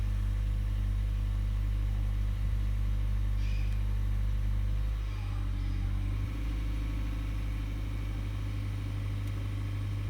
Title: Auris Hybrid / Prius whining noise